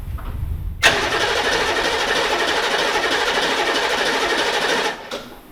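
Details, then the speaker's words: Newly swapped HMMWV (Humvee) diesel, first start attempt after installing cooling stack and radiator: fires and instantly screams at steady high rev with no throttle control, then cuts off. Runaway; throttle found wide open. "So, it's trying to run away on you. Um, don't try to start it again."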